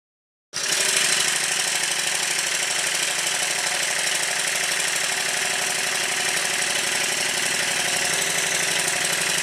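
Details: Newly built Stuart triple expansion model steam engine running in on a rubber mat: even, steady clatter about three beats a second with no knocks or missed strokes; loosening up and running smoothly.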